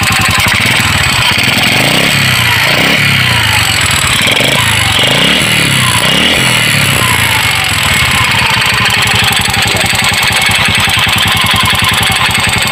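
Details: Motorcycle engine idling and blipping with a fast, steady knock under the exhaust beat. The knock began three days after the damaged connecting rod was replaced and an aftermarket replacement piston kit was fitted, which the owner blames; the stock piston kit was reinstalled.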